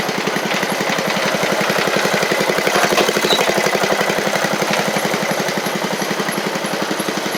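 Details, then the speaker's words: 7-year-old MTD Murray riding mower single-cylinder engine, oil a little low: fast beat with uneven, wavering pulses after running great at first; running rough, owner suspects water in it. "back good why did that might be some water in it darn it run ran great right off the top there especially"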